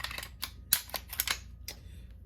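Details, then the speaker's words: P80 940 V2 Glock 17-size pistol slide being cycled with crisp metallic clicks and clacks and no squeak, after swapping the recoil spring assembly, identifying the other spring as the squeaker. "and of course no squeak which means that this one is our squeaker"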